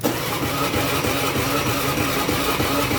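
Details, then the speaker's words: Honda BeAT FI scooter cranking on electric starter with a battery nearly dropping: steady whir without catching, yet it starts at once on the kick starter; cause a weak ignition pulser — cranks but won't start on electric starter. "kalau misalkan di starter dia susah nih tuh jelas ya kalau misalkan di starter dia susah tuh bahkan akinya ini udah mau ngdrop lagi"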